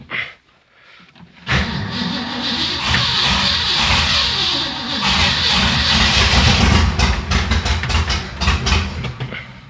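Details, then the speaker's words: Ford Fairlane V8 that hadn't run in a while, cold start on manual choke in neutral after a few pedal pumps: catches after a quiet crank, then runs lumpy and uneven with a wandering beat; owner thinks the choke is on too much. "Well, it fired off. I think the choke might be on too much."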